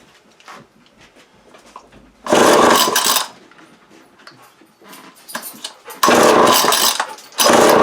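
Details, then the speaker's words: Vintage early-to-mid-1980s Craftsman 22.2cc 14-inch clutchless string trimmer from a thrift store, first start attempt on choke before carb cleaning: engine catches in short, loud one-second bursts on primed fuel then dies; carb possibly gummed from sitting. "Yeah, it's a runner. Alright, so now we know that, well, runner."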